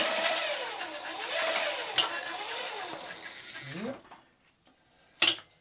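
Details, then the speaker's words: Giant Twist Double e-bike, roughly 30V, with a Sanyo front hub motor after its worn internal gears were replaced. Under load from the squeezed front brake, a smooth motor whine rises and falls with no grinding or clatter, so the new gears sound healthy. "Als ik ook de voorrem wat inknijp, dan krijg je namelijk weerstand. En ja, als de tanden niet goed zouden zijn, dan krijg je kabaal."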